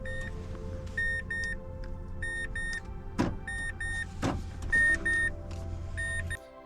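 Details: 2011 Mazda 3 during key and remote programming: paired high chimes repeat in short sets, with two sharp lock clunks between them over a steady low hum as the door locks cycle normally.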